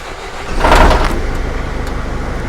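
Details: Recovery truck with a newly fitted diesel engine, after the ECU was told there is no needle shut-off sensor: starter whirr, then it catches and settles into a steady, even chug with clean firing pulses; a healthy start.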